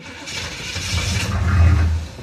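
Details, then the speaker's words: 1985 Chevy Camaro IROC, cold start; engine catches, low rumble sags and dies within seconds unless gas is held a few seconds, then runs; check engine light on; cause unknown; stalls after cold start. "it will just do that. Unless, hold on. I hit the gas at the same time. For like a few seconds. For a few seconds and then it will start running."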